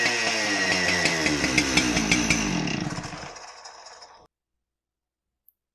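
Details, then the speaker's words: Husqvarna 372 XPG chainsaw brought in as "seized" because the cord wouldn't pull; after air-filter service it started right up and oils well, revving crisply and evenly then winding down smoothly. Chain had likely slipped off the rim drive; engine healthy. "mean that thing started right up it oils really well"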